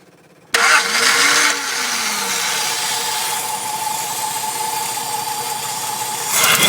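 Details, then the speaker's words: 1960 Ford Zephyr Mk2 with electronic ignition, high-power starter and heat-adjusting fan: fuel pump audible, brief cranking, catches at once, settles into smooth even idle with steady hum; lovely-sounding, torquey engine, healthy start. "starter it's a lovely sounding engine it's got lots of torque and I'm really going to miss driving up"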